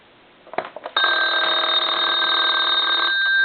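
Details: Repaired German telephone at final checkout, plugged in to demonstrate the rear bell volume control: a few tentative taps, then a loud, fast, even bell ring lasting over two seconds; ringer works normally.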